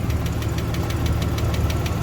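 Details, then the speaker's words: 1993 Ford Falcon Fairmont Ghia Australian sedan, six-cylinder, first start after many years sitting: a light, even tick about every tenth of a second over a rough, low idle. Top-end tapping at idle; cause not confirmed. "yeah she's tapping a little bit but she's going"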